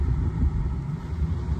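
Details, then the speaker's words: Heavy, steady low rumble at idle right after starting with the AC already blowing; no clear knock, source of the noise unknown and owner thinks it is nothing serious. "that don't know what that could be but it shouldn't be nothing really nothing amazing"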